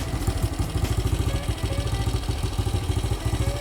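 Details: 1968 BSA Starfire single: healthy idle, fairly even thump about three beats a second with no misfires or clatter.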